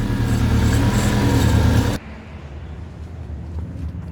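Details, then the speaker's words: 1996 Subaru Forester S/TB boxer engine catching and settling to a smooth, even idle with no misses; no-start was caused by the immobiliser, fixed with a fresh battery and new key fob battery. Normal idle. "Okay, she runs. Listen to that! Boxer engine!"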